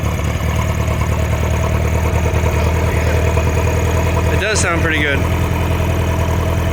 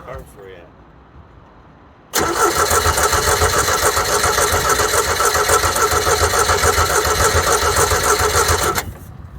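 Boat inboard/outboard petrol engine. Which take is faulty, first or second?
second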